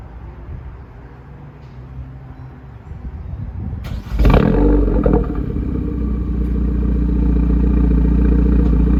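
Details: 2020 Hyundai Veloster N PP, just after Borla ATAK exhaust install with clamps at 35 ft-lb and exhaust valve connected, car raised: engine catches after about four seconds into a strong even deep burble, no ticking or leak hiss; healthy.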